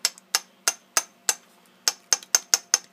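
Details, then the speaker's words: Honda ATC 200 trike engine torn down for knocking and piston blow-by: sharp metallic clacks as the piston is rocked by hand, equal play side to side and fore-aft; excess piston-to-cylinder clearance, owner suspects previous owners bored the motor. "can hear how loud that is that's where our little knocking noise is we got side to side forward and backwards this is just just isn't quite right"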